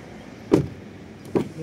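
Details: Haval M6 door after the latch was adjusted slightly upward, car on a slight tilt: two solid single door thuds with clean latching and no rattle afterward; the door closes and catches properly.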